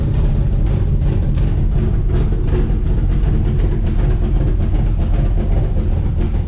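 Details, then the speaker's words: 1964 Chevrolet Impala V8 running MegaSquirt, idling while backing out: deep loud idle with sharp raspy puffing ticks matching firing pulses; bad exhaust leak. "this is my 1964 impala i'll pull it out and do another walk around but it's got a bad exhaust leak"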